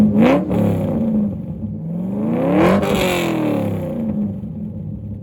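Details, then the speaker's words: C5 Corvette Z06 V8 with upgraded exhaust: fires, then rises and falls smoothly through several throttle blips with deep, clean note, no knocks or rattles; not too loud. Normal start and revving. "And there she is. That sounds more like a traditional or a sports car, right? It gives it a little bit more sound. It's not too loud."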